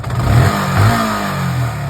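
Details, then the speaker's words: Yamaha R15 version 2 after an engine repair for noise, including piston work: strong, even throttle blips that rise and settle cleanly with no knock or rattle; normal revving. "मधुर ध्वनि कर रहा है। का engine का काम पूरी तरह से सही। हो गया।"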